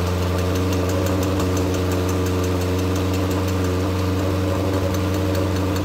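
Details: Legends race car after motor swap: loud, lumpy idle with uneven stumbling beat that never settles; carburetor flooding and running rich despite a two-pound fuel pump, carburetors to be pulled.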